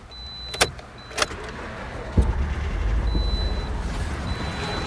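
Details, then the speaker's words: Toyota Corolla 1.8L after a crank-no-start was fixed by replacing the fuel pump assembly: two short pump buzzes with key clicks, then the engine catches and settles into a steady idle with 50 psi fuel pressure; starts normally. "so right there as you can hear the engine started the engine is running so right now our fuel pressure is 50 psi"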